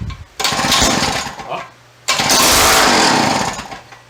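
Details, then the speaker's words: Free yard-sale auger's small engine with choke on: two short bursts where it catches and races about a second on starting fluid, then dies. Exhaust seems missing. "I squirt down the carburetor. We have a runger. That's all I'm doing tonight."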